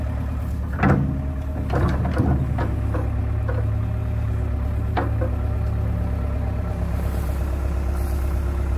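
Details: John Deere 490E excavator with Hitachi hydraulic pump, computer bypassed, pump put in limp mode; steady low diesel drone with a few early clanks, holding speed evenly, slower but no bogging.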